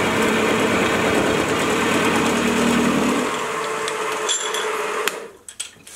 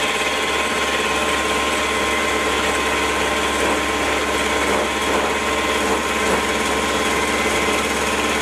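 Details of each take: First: Milling machine after a stiffening plate was fitted to the back of the column, making the same heavy cut (almost 3 mm width, pushing the motor): steady motor drone, smooth cutting hiss, far quieter with less vibration and no chatter, then spindle winds down. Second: Small ~100 kg milling machine, 2 mm width cut in steel before column stiffening-plate upgrade: harsh, buzzing rattle through the cut, rough throughout; chatter from flexing, under-massed column.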